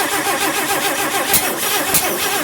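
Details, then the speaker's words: 1958 AMC Rambler Super with a new engine cranks steadily with sharp backfires but never catches. Timing and distributor were rechecked and gas was poured on the carb. Afterwards no fuel was found coming up the fuel line; the fuel filter and fuel pump are suspected. "it backfired that's as good as it ever sounds that's as good as it ever sounds and it never catches it just backfires"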